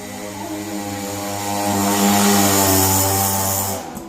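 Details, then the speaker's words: Old Yamaha V75 72cc two-stroke: revs high and loud with strain but no drive, pitch not pulled down by load; clutch slipping badly like worn clutch plates, engine to be removed and clutch repaired. "Dia ngeden banget, cuman nggak ada larinya. Suaranya kenceng, larinya nggak ada. Ngeden banget di gas, ngok gitu, kayak kampas kopling selip, kayak kampas kopling habis gitu ya."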